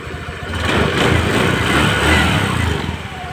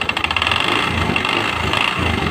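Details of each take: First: Spacy scooter after repair of loose cooling fan on worn bosses: catches and settles to even soft idle putter, no metallic rattle; fixed. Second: Honda Spacy scooter, earlier serviced elsewhere with new con rod and bearing yet still very rough: harsh uneven rattling clatter at idle from flywheel/magnet cooling fan side; crankshaft bearing and rod fine.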